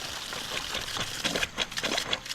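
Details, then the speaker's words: Outside camp water line refilling after a new pump install, heard at the main outlet: irregular hissy pops and gurgles with no steady rhythm as air spits out of the tap. "Oh, here comes some air. You hear it bubbling?"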